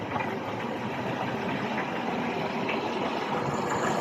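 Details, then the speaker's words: 2008 Toyota Camry after fixing the wiring to the ignition relay that caused crank-no-start with no check engine light: now starts and idles smoothly with a steady low hum, no knocks, misses or rattles. "So the car is start. So now it's good. The car start."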